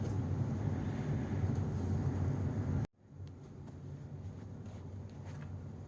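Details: Hoover SteamVac Widepath after repair of the scrub brush drive, which had snapped and stopped spinning after 20 years: steady, even motor hum with no grinding or catching for about three seconds, then it cuts off; the brush drive sounds healthy.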